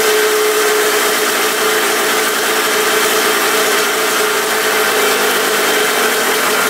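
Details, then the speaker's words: 1980 Suzuki RM125 two-stroke just after its first start on choke. Loud, buzzy idle with a slightly ragged note and noisy exhaust; sounds a little rough, cause not pinned down. Tank leaking gas, loud silencer, top end a bit noisy. "I think that was the second kick she fired up. She sounds a little rough."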